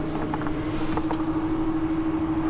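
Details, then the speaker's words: Ford F-150 Lightning parked in cold, snowy weather, heard near the frunk: a steady, even mid-pitched hum with no rattle. It is the cabin heater fan running normally to keep the cab warm. "it sound like there's a fan on? That's because it's quite cold out, and the truck is on, and I want it to stay warm."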